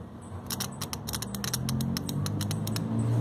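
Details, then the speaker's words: Nissan Almera whose radiator fan won't come on: crisp, quick clicks over a low hum as the two fan relays switch; the relays activate and aren't burnt, so the missing current lies elsewhere. "nos indica que pues al menos está funcionando en este caso que son dos relevado"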